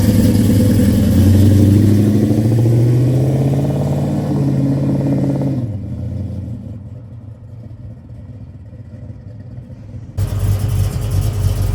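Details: 1968 Chevrolet Chevelle, 454 big-block V8, 700R4 automatic, 3-inch stainless exhaust: deep rumble revving up and easing back smoothly, a quieter stretch, then picking up again; strong, healthy engine.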